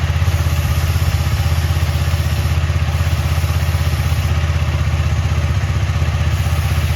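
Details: KTM Duke 250 on paddock stand, engine running, rear wheel spinning after chain cleaned with Motul chain clean and WD-40 and lubed with Motul chain lube: smooth low hum, no slap, grind or rasp; chain runs quiet.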